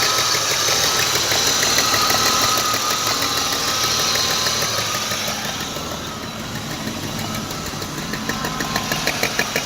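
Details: BMW E34 520i at steady idle with a sharp, even tapping of about three knocks a second, a knock from inside the engine. Cause unknown; owner asking for help.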